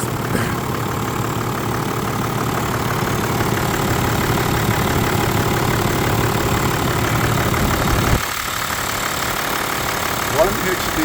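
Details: Toyota Land Cruiser 100 Series with 1HD-FTE turbo diesel, first start after blind purchase: steady even diesel clatter at idle, smooth low rumble, no misses or knocks, no smoke, purring; normal idle.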